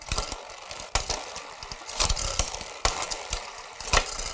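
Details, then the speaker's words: SRAM Red Yaw front derailleur after tightening the inner limit screw so the chain no longer wants to fall off the large ring: light chain ticking, crisp shift clicks, no dropped-chain clatter; normal front shifting. "and that's better it's consistently downshifting but it's not going to fall off on you"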